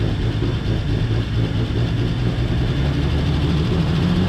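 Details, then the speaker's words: 1949 Chevy Fleetline Deluxe six-cylinder, not run in many years, after freeing stuck lifters (carburetor still leaky, rebuild pending): low, steady, even idle with no ticking lifters or misses, far smoother than two weeks earlier; normal idle. "I would say that is pretty good compared to what it was two weeks ago let's try it one more time"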